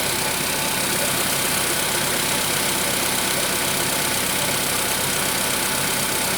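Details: VW Polo Sedan 1,000 km after piston replacement: light rapid tapping near three per second over a busy petrol idle; engine knock, cause not pinned down.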